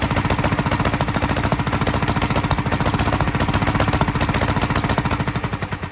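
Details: 1943 Gravely Model L single-cylinder on rebuilt magneto and borrowed 1955 L carburetor with its settings; fast uneven chuffing, pops from carburetor and exhaust; valve lapping and lash check planned. Rough running with popping.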